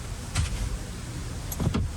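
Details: Electric parking brake on a 2015 Ford F-150 during a brake job, cycled through maintenance mode: two short low whirring motor runs ending in a clunk, the rear actuators driving out cleanly and working normally.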